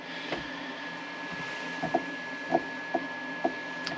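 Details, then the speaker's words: Cabin power cabinet in Northwest Montana in winter: steady, loud whir with a thin constant high tone and a few light clicks; inverter cooling fan running normally, just very noisy. "I'd be filming my outro right now, but all my power cabinet stuff has fans whirling away, so you can't hear me."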